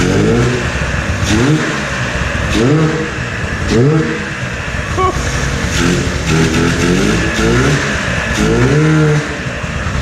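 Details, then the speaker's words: 1997 Ski-Doo Formula 500cc two-stroke snowmobile that sat 5+ years with the oil injection hooked up; crankcase flooded with oil, started on ether after carb cleaning and new intake flanges. It blips up and down in rough bursts and bogs between revs; clutch stuck, burning clutch material. "That helped that crack. The clutch is just fried, man. No, it's stuck."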